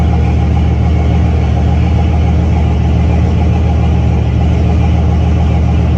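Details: C6 Corvette, built LS3 V8 with big turbo (about 88), air-to-water intercooler, manual, first fire-up on Holley EFI after a quick tune (about 1% closed-loop correction, AFR on target): deep, steady, even idle rumble, no knocks, ticks or hunting; healthy.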